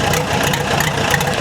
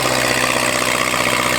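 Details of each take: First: Case dozer diesel, cold, not yet at operating temperature, owner reports low compression and white smoke: idles unevenly with a lumpy, irregular knock and shake; a sticking injector is suspected, not confirmed. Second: Old Case dozer diesel, unmuffled stack: loud steady clatter and low drone, speed shifting slightly, firing evenly without knocks; motor sounds good.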